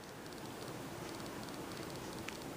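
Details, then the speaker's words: Refurbished 42-inch SMC U42 ceiling fan on high speed at about 215 rpm: only a soft steady airy whoosh, bearings barely audible, very little motor hum, no ticking or grinding; running quietly and healthy. "one thing that surprised me is how quiet this is for an SMC fan I can hardly hear the bearings at all and also there's very little hum from the motor"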